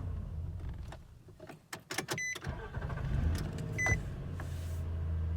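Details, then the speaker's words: 2016 Nissan Frontier after starter replacement: door chime, quick crank, then the engine catches and settles into a steady, even idle. It starts cleanly, confirming the old starter had gone bad and caused the single-click no-crank. "And after replacing it, as you could see, the car starts right up with no problems."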